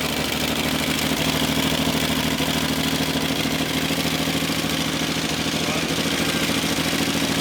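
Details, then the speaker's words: 1966 Ford Mustang barn find, bad carburetor replaced with a good one, adjusting idle, choke and fuel mixture: fast even idle with steady beat, no misses or stumbles; normal running. "so our old carburetor was bad yeah new one's good and we're adjusting the basically the idle choke"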